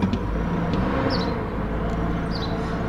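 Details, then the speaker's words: 2006 GMC Envoy just after replacing alternator and water pump, VVT sensor code present: smooth steady idle, even low drone, no knocks, ticks or squeals; slight miss sometimes in first 20 seconds, healthy now. "hey start right up sounds good oh the idle is for the first 20 seconds here sometimes I get a slight Miss but seems like it's okay now"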